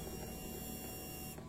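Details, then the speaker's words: Honda Beat injection motorcycle that jerks when accelerating, battery tested normal. Fuel pump prime gives a brief, even one-second electric hum with no rattle or strain; pump judged normal. "Nah ini terdengar suara dengungan ya. Nah seperti itu. Saya kira untuk di bagian full pumpnya ini tidak ada masalah ya."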